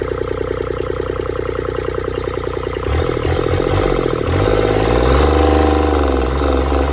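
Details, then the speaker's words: Yanmar 3TNE74 three-cylinder 22 hp diesel, rated 2800–3050 rpm, with the water pump checked tight: a steady, even chug that picks up cleanly on two brief revs with no stumble. No blow-by from the breather. Normal idle. "ไม่มีสะดุดนะครับเรานิ่มดูท่อระบายลมดันยังไม่มีเลยไม่มีรถดันนะครับ"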